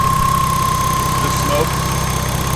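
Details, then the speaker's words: BMW E30 with freshly swapped S52 engine, fully warmed up after its first runs, oil-fouled valves burning off: smooth, even warm idle with a steady low drone and no valvetrain ticking; settled and healthy. "alright it's fully warmed up now we're still have to complete a bit longer but now that the adults do not the engines full oil they settle down it sounds really good"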